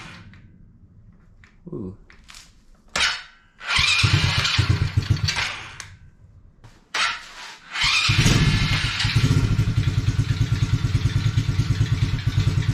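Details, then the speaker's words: Coolster 110cc quad that sat two years, after fitting an air filter and fuel hose: the small single-cylinder engine catches and settles into a steady, even putter. It needs no choke but takes a little while to warm up; running normally. "it runs fine without the choke so there we go it takes a little bit to warm up"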